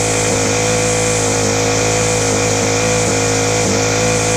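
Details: Ryobi four-stroke string trimmer, cold start on a freezing morning, carburettor low/high screws being tweaked: buzzy high idle dips and surges unevenly every half second. Rough running from incorrect carburettor mixture; slow-running jets also suspected.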